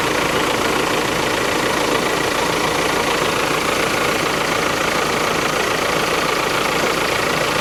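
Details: VW Crafter campervan diesel, first start after replacing the faulty AC compressor blamed for snapped serpentine belts, recorded close up from underneath: loud, steady, even idle drone with no knocks or squeals; belt tensioner jumping somewhat.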